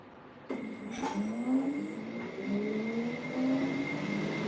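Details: 3D-printed fan for a drone, one of four, not strapped down, after controller recalibration: steady tone climbing gradually as the fan spools up, even with no rubbing or rattle; normal spin-up.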